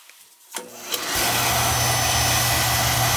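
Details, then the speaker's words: Oil burner no-heat callback, suspect control relay, testing for puff back: a couple of ignition clicks, then steady even roar with no thump or puff back; normal burner ignition. "i'm gonna fire it up and we're gonna see if there's any kind of puff back"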